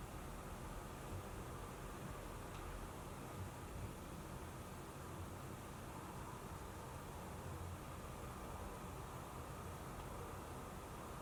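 Soft, steady airy whoosh with no ticks, surges or pitch changes; the console fan is running quietly and healthy under load.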